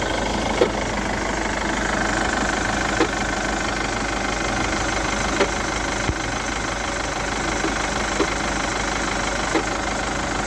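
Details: Chevrolet Captiva 2.2 diesel clatter at idle with a scattered, uneven knock every second or two; engine knock at idle, owner suspects the timing chain mechanism/components, not confirmed.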